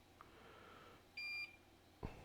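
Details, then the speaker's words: Soldering station at a 2015 13" MacBook Pro Retina logic board (820-4924) repair gives one short, sharp high beep in a quiet room; the long-used tip's heating element cracked, and the station signals the fault. "yeah did this tip just break i wonder it did oh yep the heating element cracked"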